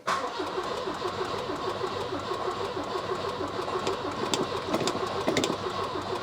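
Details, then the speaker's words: Volvo 240 carbureted, fuel tank refitted and new fuel lines fitted, previously ran from a remote fuel bottle: cranks well with choke out, steady churning about two turns a second, no firing at all; fuel delivery to carb being checked; cranks, no start. "So she cranks quite well, chokes out. But no fire."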